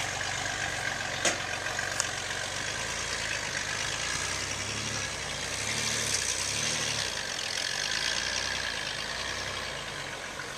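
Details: 2011 Nissan Xterra Pro-4X at low speed: two sharp, isolated pops from the driver-side front; owner narrowed it to a suspension part, not the driveline; nothing visibly loose or damaged; cause unconfirmed.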